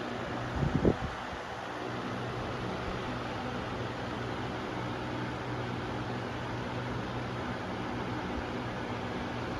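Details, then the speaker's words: Lasko Weather-shield box fan after one year of ownership, on low speed: a steady soft whoosh with a low hum and no rattle or wobble after a brief bump. It is quieter than before, with imperfect but decent blade balance; normal. "I don't know if you can tell, but the low speed is much quieter than it was before, or at least it was slower than it was before. And it's not shaking too bad."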